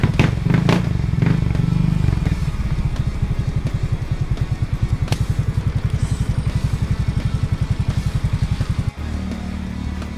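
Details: Easyride 150N GY6 scooter after removing the auto enricher (auto choke), cold morning start: one click, small single-cylinder popping at a steady, even idle near 1,000 rpm, about four firings a second; no longer hard starting.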